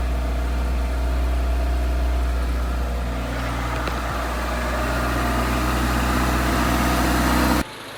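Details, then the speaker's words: 1987 Suzuki Samurai with '89 Geo Tracker I4 engine, after suspected blown head gasket repair and reassembly: steady smooth idle, low even hum, no knocks, hiss or stumbling. "Well, I think we'll call this one a wrap. She's running."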